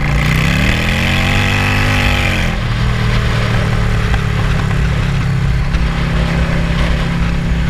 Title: vacuum leak sorted 👍